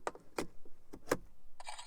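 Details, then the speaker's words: 2008–2014 Mercedes C250 W204 with steering lock (ESL) replaced by an emulator, key inserted into ignition: a few sharp light clicks then a short whirring buzz; emulator responding normally, car then starts. "You should hear the emulator when you push the key in."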